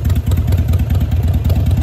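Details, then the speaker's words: Cold Harley V-twin (Sportster/Dyna/Softail/V-Rod) with a manual idle air control valve replacing the factory IAC, idle set too low: loping, slightly uneven lumpy idle; check engine light comes on wanting higher rpm, a soft code that clears when idle is raised. "so you're going to see that check engine light come on because it wants the RPM to be higher so I'm going to raise it back up"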